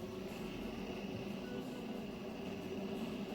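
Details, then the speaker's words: DeLonghi espresso machine about 30 seconds after switch-on, just reassembled after replacing the EP5 pump with an EP4: quiet steady hum with a faint high tone and soft bubbling as the boiler heats water, green light pending; normal heating. "c'est donc la chaudière qui est en train de chauffer l'eau. Et en fait, quand le bouton vert sera allumé, ça voudra dire que la chaudière est prête."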